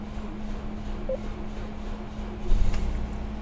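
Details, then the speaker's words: 2007 Toyota Yaris, brought in for a shaking dead-miss idle, started with a jump pack connected: petrol engine now idles with a steady, even low hum, no stumbling or shaking, and a slight belt screech; normal idle. "it started just mine seems to be idling beautifully and we got a little bit of a Bell screech but that's not our concern for today"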